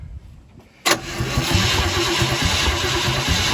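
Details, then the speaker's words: Chevrolet C50 truck project, first start with no gas pedal hooked up and oil pressure not rising: the engine spins over with a steady rhythmic churn but never catches; it cranks but won't start, apparently out of gas. "hold it i think we're out of gas just getting stay in there henry go ahead and crank it"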